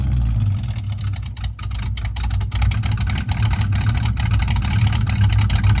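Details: 1979 Ford Fairmont two-door police car running from its tank on five gallons of fresh fuel: a deep, steady burble with a brief dip, then back to an even rhythm; it settles into a smooth idle.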